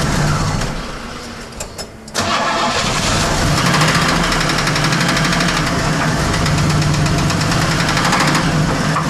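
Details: 1979 Pontiac Trans Am V8 fires up and idles with a steady knock, about four a second, from a bad engine bearing.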